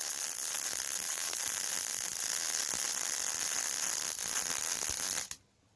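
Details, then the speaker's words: MIG welding 5/16-inch beveled steel plate with .035 wire for a hydraulic steering cylinder mount: steady arc sizzle with occasional sharper pops from welding into rust, impurities most likely causing porosity holes in the bead. "so every now you turn every now and then you'll hear a little bit of a pop sound and that is me getting into a little bit of the rust so it's impurities and that pop is most likely a little hole in the bead called porosity"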